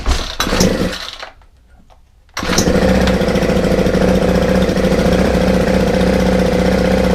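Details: Free Ryobi 4-stroke trimmer on a freezing morning, restarted after choke, fuel and low/high screw tweaks, runs buzzy and slightly uneven at about four beats a second; rough running, owner blames mixture, suspects slow-running jet, possibly missing air filter.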